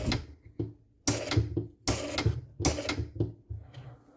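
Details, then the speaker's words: Playmatic Harem pinball machine, Spanish, when the credit button is pressed: loud clattering bursts about every 0.8 seconds with quiet gaps; a relay is seen activating but the noise source is not found; game won't start. "okay i think i see this relay is activating but i don't know where that noise is coming from"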